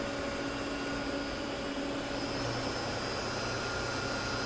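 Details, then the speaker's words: Cheap used CNC mill spindle commanded M3 at 500 RPM in low gear (two-belt high/low gear system) before switching to 3,000 RPM high gear; steady, smooth hum with faint constant tones, no knocks or grinding. Normal spindle running. "oh yeah that thing sounds smooth so let's try to kick it in high gear speed 3,000"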